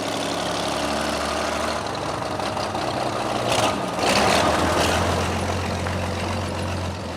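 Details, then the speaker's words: Truck idling after the squealing serpentine belt was tightened: even low rumble, no squeal or chirp; belt quiet, though may not last as tensioning room is nearly used up and a shorter belt is the real fix. "and he fired it up, and it was quiet as it could be."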